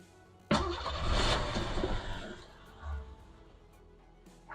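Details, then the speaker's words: 1989 Isuzu Trooper barn find, fuel pump primed: engine catches abruptly, runs rough under two seconds, then fades and dies with a weak cough; starts but won't stay running. "Okay, so what I'm noticing it starts, which is phenomenal. Yes, that makes me happy. You can hear it start, but it doesn't want to stay on, which is not really ideal."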